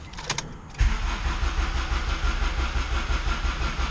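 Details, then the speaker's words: Turbo Honda Prelude F20B on Hondata S300 with MSD coil, flooded running black-smoke rich, cranked with all injectors unplugged to clear it: slow uneven cranking about three turns a second, no catch, battery dying; stuck injector suspected. "what I'm going to do is just crank it over with the fuel injectors unplugged and see if we can get it to clean out, if maybe one of the injectors has an issue or something like"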